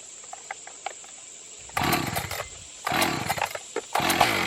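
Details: Echo CS 590 Timberwolf chainsaw that would not start, after fitting a new carburetor with no tuning: catches quickly and rips through three clean, crisp throttle bursts with no bogging or stumbling; running properly.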